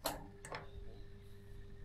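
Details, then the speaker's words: Baumatic BD45KG clothes dryer: a click, then a steady electrical hum with no spin-up; the motor won't start because the start capacitor measures about one instead of about six, and only a hand spin gets it turning. "Hum, hum, hum. Not doing anything."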